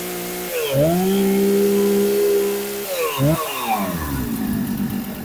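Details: Husqvarna 455 Rancher chainsaw, sat unused for a couple of years and would not start, now running after repair: crisp two-stroke revs climb to a steady high scream, drop off and blip again cleanly; runs healthy.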